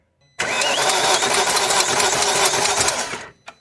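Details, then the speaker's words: 2001 BMW E39 540i V8, non-running, cranking about three seconds while feeling along the head: fast, loosely regular tick forward of the spark plugs, pointing toward the timing chain area; tensioner suspected, unconfirmed. "i don't know it sounds like it's coming forward of the spark plug so you do it again"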